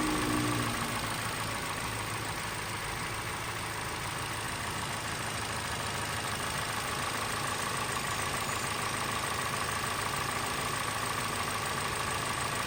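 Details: 2023 Toyota Corolla XEi at idle: steady idle with a fast, faint, even tick underneath and a thin constant whine; abnormal engine noise whose cause is unclear.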